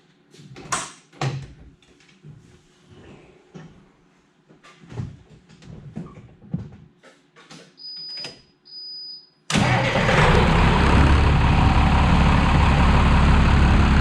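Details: International DT466 diesel truck after replacing a failing starter with a bad bendix that wasn't fully engaging the flywheel teeth: after some clunks, the engine catches at once and settles into a steady, even run; starts normally.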